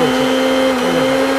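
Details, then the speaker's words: Tom brand 500 W mixer grinder after repair of dead, no-power fault by replacing faulty AC power cord: steady, even high-pitched motor whine with no surging or grinding; running normally. "ঠিক আছে কাজ হচ্ছে বন্ধুরা এটা ঠিকঠাক কাজ হচ্ছে"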